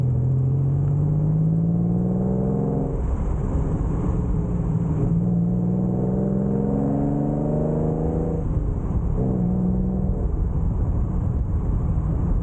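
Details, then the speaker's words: Barn-find Ford Capri Ghia on a country road run, camera held out of the window: even engine drone climbing through the gears with short dips at each shift; smooth, steady exhaust, a healthy run. "Um, obviously we listen to the exhaust sounds pretty decent in my opinion."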